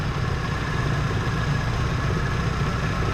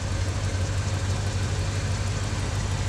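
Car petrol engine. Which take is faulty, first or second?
first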